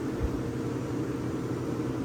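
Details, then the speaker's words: Vintage Westinghouse 10,000 BTU window A/C, running on a long extension cord that gets warm; even steady hum, low motor drone, soft airflow hiss, no rattles or cycling; doing its thing, normal running. "but yeah it's uh it seems to be doing its thing"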